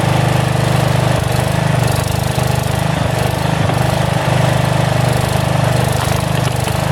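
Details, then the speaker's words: About 35-year-old log splitter refreshed with new pump, valve, filter, rebuilt cylinder and hoses, swapped-in 12HP single-cylinder engine: fairly steady thumping with slight rise and fall in speed; governor hunts a little, owner suspects carburetor needs adjustment. "the only problem right now that the governor hunts a little bit on the engine I don't know if 30 carburetor maybe it needs an adjustment"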